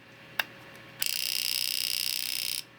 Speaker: Did you hear that? We are working. And you can see that my output LED is flashing.